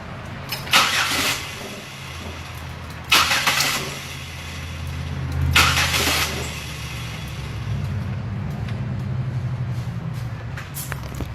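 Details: Crank-no-start test with a noid light, fuel pressure gauge and spark tester connected; the starter churns steadily for over ten seconds with sharp snapping bursts but the engine never fires; spark and injector command are confirmed.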